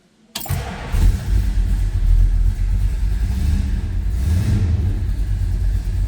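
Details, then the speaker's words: Original 1970 Dodge Super Bee, Magnum 440 Six Pack V8, cold start: starter catches almost instantly, then a deep, even, lumpy rumble with no knocks or misses; gauges and alternator working, healthy cold start. "There it is, that Magnum 440 with the six-pack. Clock's working over here. Fuel gauge, oil pressure, temp gauge, that was a cold start, alternator, and stereo."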